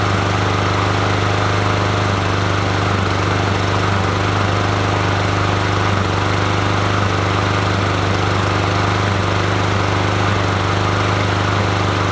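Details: Troy-Bilt TB110 push mower, 140cc 550EX engine, carburetor replaced by prior owner who couldn't start it: runs loud with an uneven, stumbling beat around three or four pulses a second; rough running, cause not found.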